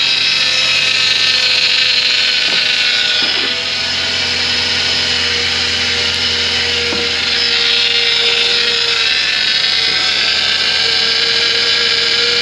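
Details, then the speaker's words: 2013 Ford Transit Connect, after replacing the chafed power steering line and refilling: steady mid-pitched whine with bubbly hiss at idle; pump drawing aerated fluid, expected to fade within a day or so. "so that noise is going to keep going for a while because this fluid is aerated yeah it's full of bubbles in there well all that bubbly action does not play well with the hydraulic pumps"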